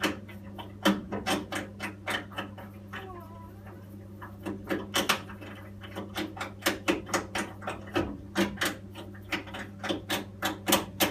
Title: Boiler noise